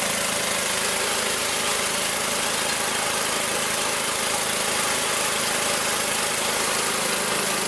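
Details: Magna air compressor with a Briggs & Stratton engine from at least 1983, sat 5 years, first start on the carburetor alone without carb cleaner: steady, even hissy drone, no misses, knocks or surging, reaching 100 psi; normal running.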